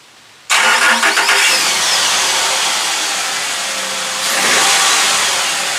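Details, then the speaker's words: Cold start of a truck after battery revival (cold cranking amps reading rose from under 200 to about 1000): a brief strong crank catches within a second and settles to a steady, even idle. It starts normally. "Well, that's it. It appears to work."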